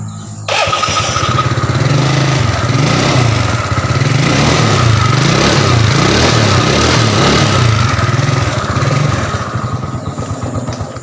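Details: Yamaha Mio Soul carburetor scooter after repair (piston rings replaced) for white smoke; engine catches and settles into steady even putter, no knocks or rattles, no longer smoking; running normally.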